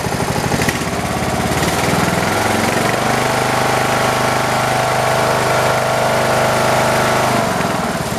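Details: Poulan Pro 300 EX lawn tractor (believed 2006) being looked over: from a smooth, non-surging idle, the single climbs quickly to a steady, even full-throttle drone that holds firm with no hunting or misfire. Normal.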